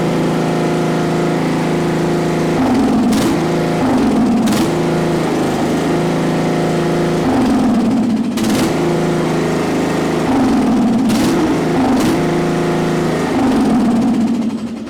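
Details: Craftsman LT1000 riding mower at full throttle, driving: steady drone with brief dips as the drive takes load, no stumbling, then cuts out (owner suspects seat safety switch when brake released); engine itself runs normally.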